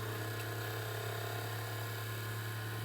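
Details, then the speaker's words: Sylvania DV220SL8 DVD/VCR combo after mode switch and button repair: steady low hum with a thin whirring drone while the disc spins; spindle motor a little loud, owner suspects it needs a drop of oil. "I'm might have to drop a drop of oil in that spindle cuz a little bit Loud"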